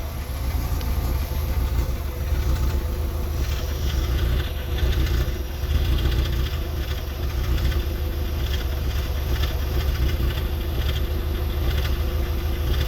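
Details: VW MK4 1.6SR engine running with a low rumbling, uneven knocking undertone that rises with revs; owner asks whether it is a bearing knock, source unconfirmed.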